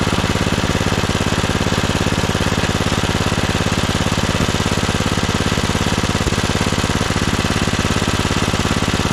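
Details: 1997 Craftsman II 30" rear-engine riding mower, 13.5 hp Tecumseh engine, mowing test run: single-cylinder chugs evenly, about two and a half firing pulses a second, no misses; carb running great, smooth and quiet. Normal running.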